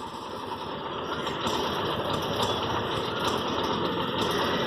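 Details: TVS King engine with a bad noise: a coarse, hissy, uneven drone with faint irregular puffs, pointing to a split or loose air filter hose that needs replacement.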